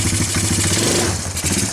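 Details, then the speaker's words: Timberwolf four-wheeler with Mikuni carburetor, running slightly rich: uneven lumpy stumbling at just-cracked throttle that clears with more gas, a sign the carb needle is misadjusted. "It goes away once I hit the gas, but that's usually a sign of the needle being off."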